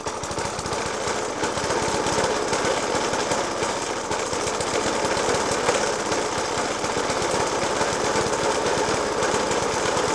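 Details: Suffolk Punch 30S mower (1991 era) with a Dellorto FCH 20 carb idling roughly with heavy, irregular bangs a couple of times a second. This persists after a new spark plug, decoke and carb cleaning; cause not found.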